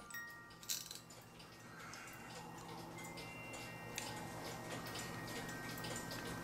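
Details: Regula A-25-85 Black Forest cuckoo clock (1985) music movement, comb adjusted closer. Bright tinkling notes ring evenly over a faint mechanical whir, then ease off as it shuts off; normal.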